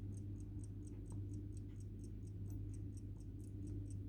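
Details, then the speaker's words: Old family silver pocket watch by watchmaker Day of Jewsbury, hallmarked, with winder key, condition of movement unknown and not serviced. Crisp, even ticks about four a second over faint room hum; watch running steadily, normal ticking. "i don't know whether that's a generic one or whether that would have come with the watch as you can hear ticking away"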